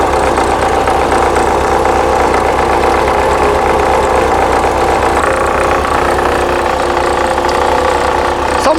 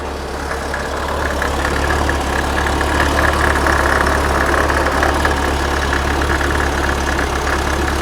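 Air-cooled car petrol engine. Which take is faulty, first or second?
first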